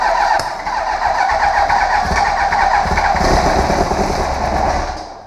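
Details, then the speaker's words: 2001 Yamaha YZF R1 after carburetor cleaning and rebuild kit install: key on, fuel pump runs, starter fluid sprayed in, but it cranks steadily with uneven chuffs and won't start; it was not choked. "we turn on the key there goes the fuel pump so now we're going to give it a nice healthy squirt of starter"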